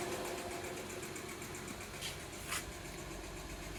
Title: Odyssey ticking noise / cylinder 2 misfire